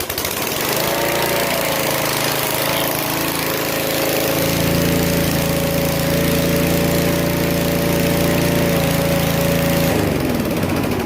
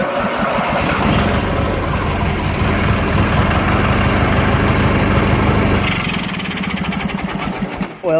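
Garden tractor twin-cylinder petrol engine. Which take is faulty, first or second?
second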